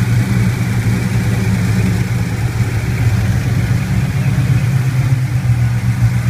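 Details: Rough, lumpy LS1 V8 idle: steady low rumble with a slightly uneven beat that never settles; cause unclear.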